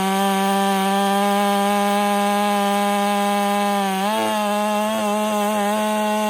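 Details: Ported Husqvarna 385 chainsaw during break-in, tune left slightly rich with a little top-end burble, cutting very hard oak: high steady scream dips slightly as the chain bites and recovers, no bogging; normal cutting under load.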